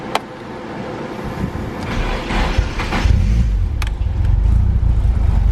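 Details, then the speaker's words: Car newly remapped to speed density: the engine revs climb unevenly with hesitation. The MAP sensor reads only 1 volt, so the owner suspects wrong wiring or a bad sensor, and possibly a boost leak. "My vacuum still seems off. I might have a boost leak. So my map sensor is registering only 1 voltage, which means I probably either wired it wrong or it's a bad map sensor."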